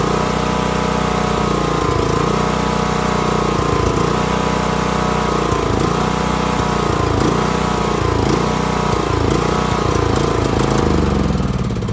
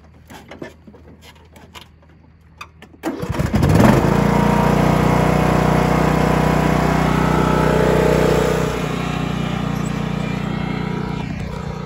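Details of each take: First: John Deere LA115 riding mower that dies after 30-45 minutes of mowing: engine dips and surges every couple of seconds, can be kept alive by feathering throttle, then dies; fuel starvation from clogged vented fuel cap causing tank vacuum, fixed by opening cap. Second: John Deere LA115 riding mower that stalled after mowing because a clogged vented fuel cap left the tank under vacuum; with the cap loosened it catches after about three seconds and runs steadily with no stumbling, normal running.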